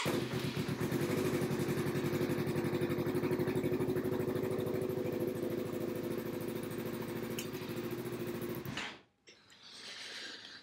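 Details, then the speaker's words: Yamaha R3 fitted with an Antigravity 4-cell lithium battery in place of the OEM battery fires and settles into an even, steady idle with no misses; the new battery cranks and starts it fine. "Everything starts okay. It's cranking okay. And obviously it's a massive weight saving."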